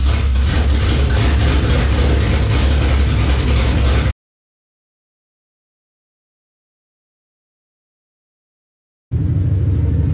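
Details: Newly installed engine's first run since October 2019, stalled once in first gear then restarted, coolant warming toward 194°F: deep, even idle rumble, brief cut then picks up; healthy idle.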